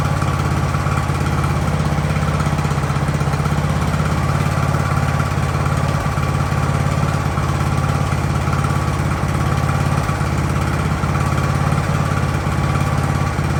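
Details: Ariens hydrostatic-drive riding mower, sat at least two years, warming up in neutral at about 30 degrees: steady low thrum with an even firing beat, holding speed without dips or stalling; normal idle.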